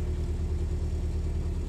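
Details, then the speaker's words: Willys Jeep with carburettor rebuilt from original parts, cold, choke being balanced: quick, regular low thumping, even with no stumbles; old four-cylinder holding a healthy fast idle on partial choke. "that's good fast idle let's knock it down just a touch too much choke there you go that's it you got to balance the choke it's not easy"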